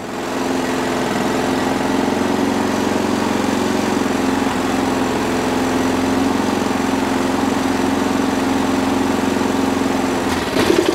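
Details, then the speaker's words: Small Sovereign lawnmower engine running after fitting a replacement part with primer bulb from the spares bin: steady, even drone with no surging or hunting; little engine doesn't rev a massive amount, running properly. "happy with that um that'll do but they don't they don't rev a massive amount these are only little tiny little tiny engines"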